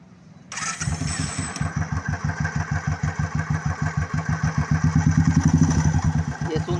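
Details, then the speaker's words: Royal Enfield Thunderbird with chain and clutch removed, only the one-way starter clutch fitted: engine fires into a lumpy idle with heavy, uneven knocking about three times a second, sounding like failed engine bearings; the noise comes from the one-way starter clutch. "देखा आपने आवाज़ इसके van वे में से इस type का आवाज़ ए रहा है"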